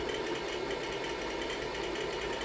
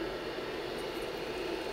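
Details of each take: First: IBM PC 5150 MFM hard drive, showing up as drive D, during a surface analysis: fast, busy chattering clicks over a steady spindle hum; heavy head seeking, loud but working well. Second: IBM PC 5150 hard drive, platters freed from stuck heads and a missed cable reconnected, booted from DOS disk: steady, even whir with one clear mid-pitched hum, no scraping or grinding; drive spins up normally and head stepping is felt.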